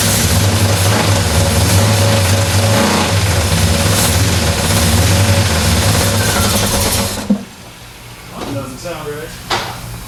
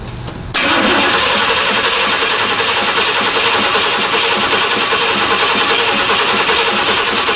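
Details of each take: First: Freshly repowered Square Body Chevy C10 with a Blueprint Engines 350 and new 700R4 transmission, first start: a loud V8 with a steady scraping rub underneath, as the flywheel counterweight hits the plastic bellhousing dust shield. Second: Square body Chevy C10 repowered with new Blueprint Engines 350 V8 and 700R4, first start; starter catches within half a second and settles into steady even idle, no knocks or misses, oil pressure and voltmeter reading; normal start and idle.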